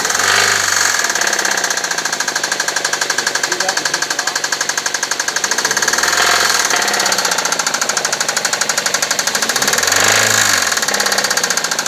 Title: Suzuki SX4 Engine knock